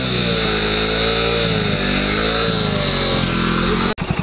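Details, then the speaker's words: Splendor single-cylinder after throttle body cleaner cleaning: steady idle with an even beat, no misses or hunting; now runs much smoother. "Guys आप देख सकते हैं इसकी आवाज जो है काफी ज्यादा स्मूथ अभी हो चुकी है"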